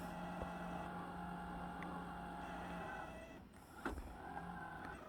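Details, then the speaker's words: Roomba S9+ robot vacuum on an early learning run: steady motor hum with an unchanging thin whine as it keeps driving straight back instead of shimmying free; stuck, its wheels spinning without traction (freewheeling). "You think it try to go back and forth, left or right, and jiggle itself free like an intelligent robot. But it's just powering through, freewheeling."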